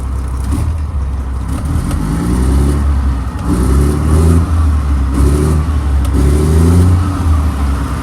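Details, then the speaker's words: 2007 Mack MR688S roll-off diesel truck, warm after running over 40 minutes, suspected cracked exhaust manifold, some smoke: a deep rumble revving smoothly with a gear-like, non-knock noise. The engine sounds healthy. "it sounds good when you rev It Up it's got like a knocking noise but it's not a knock it's uh more like a gear noise"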